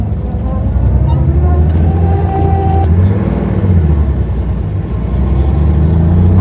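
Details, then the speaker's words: 1970 Porsche 911T first yard drive after adding fuel, earlier poor running blamed on lack of fuel: deep, steady flat-six drone swelling cleanly under load in first gear with road rumble; pulls smoothly without stumbling, normal acceleration. "better oh [Music] yeah yeah buddy yeah that rips all right man this thing is fast I'm glad that was just a lack of fuel issue"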